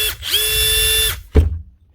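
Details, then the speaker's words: Makita DTD154 brushless impact driver running at no load after repair, with a new front gearcase replacing a failed needle bearing: a smooth, even high-pitched whir with no knock or rattle, then a clean stop. It is running normally. "with a new front gear casing and the old one the actual needle bearing built into it that holds the butt holder failed so replace the needle bearing"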